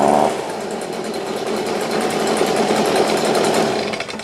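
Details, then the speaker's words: Second Stihl BG50 two-stroke blower, reported to start but lack power: screams at high revs with slightly wavering note but thin air rush; down on power, cause not confirmed. "Now this one, he said, it cranks up. But no power."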